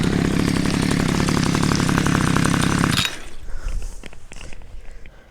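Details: Cheap two-stroke string trimmer, about six or seven years old, after ignition coil tested, cleaned, air gap set and reassembled to fix no spark: crisp, even buzz holds steady without misses for three seconds, then clean shutoff; running normally.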